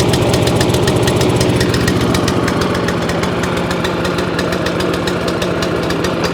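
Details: Free scrap overhead-valve mower engine after main jet work: loud, lumpy running with uneven firing that never settles, as if on choke. Owner plans a new plug. Running rough; cause unconfirmed.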